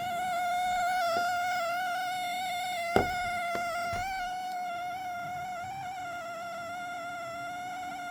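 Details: Dell Premier Wireless ANC Headset WL7024, bought May 2024, malfunctioning while charging and also when powered on afterward: a steady, loud buzzy whine at a fixed high pitch with a few faint clicks. The headset is unusable and needs to be returned under warranty.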